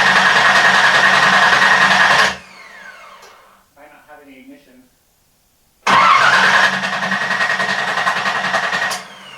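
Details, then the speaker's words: Z car on its first start in about 1.5 years: two bursts of fast cranking without catching and no spark; the crank angle sensor was wrongly grounded to the ECU cam ground pin, plus a second wiring issue. "if you saw last night it cranked over with a wouldn't start and I figured out I had two issues um one being that the crank angle sensor I had grabed grounded it to uh cam ground"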